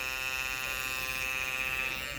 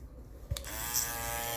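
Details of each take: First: Andis Master cordless clipper, blade on and adjusted tight: high steady buzzing whine with a harsh edge; a worn plastic piece is rubbing on the motor, fixed by replacing it. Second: Andis Master cordless clipper after the noise fix, blade refitted but not yet oiled: switches on and settles straight into a smooth, even buzz with no rattle or knocking; quiet, healthy running.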